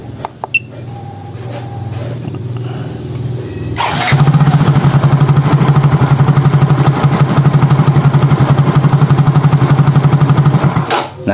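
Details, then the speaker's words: Yamaha Soul GT fuel-injected scooter (Mio J engine), warm at 80°C: catches, idles unevenly about four beats a second for seven seconds, then dies; stalling traced by scanner to faulty MAP/barometric sensor reading 85 kPa instead of 95-103. "motornya mati-matian ya motornya mati-matian"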